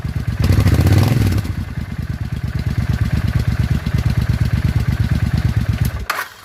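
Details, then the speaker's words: Suzuki Intruder 800 V-twin after fresh spark plugs on one side, previously backfiring and popping. Settles into a steady, even idle with a deep regular thump and no pops or misses; smooth idle. "Sounds better already. Much, much smoother."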